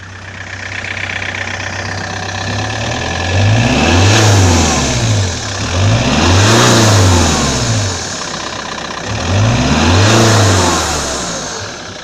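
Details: 1999 Toyota T22 D4D diesel revved three times: a sharp, airy hiss from the turbocharger intake hose swells with each rev. It is almost inaudible at idle and much louder when accelerating to overtake. Cause unconfirmed.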